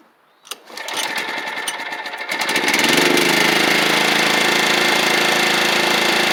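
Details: Toro Proline walk-behind mower with Kohler Command engine after new spark plug, carburetor and blade; quick start, then an even, steady run with no misses or surging: normal running.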